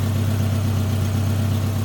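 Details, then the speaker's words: 2009 Subaru Forester, fuel injected, at low idle: smooth idle with a soft, steady puffing pulse riding on it; exhaust leak somewhere underneath. "Some exhaust leaks underneath there for sure somewhere."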